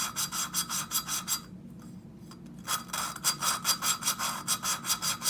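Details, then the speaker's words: Honda ATC 200X cylinder head rebuild, hand-lapping a valve with compound and finger pressure on the valve back: even back-and-forth rasping strokes, about two and a half per second, with a brief pause. The sound turns finer as the compound grinds down. "when the compound is uh getting ground down and you can hear it you can hear it getting finer"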